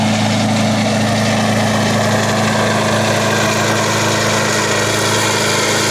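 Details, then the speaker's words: Wolf GTAB4M walk-behind mower, engine running at constant speed: a hard, even drone with a grainy rumble underneath that does not come from the engine; the traction drive bearings are suspected. "on a un problème au niveau des roulements de la tracction j'ai bien l'impression"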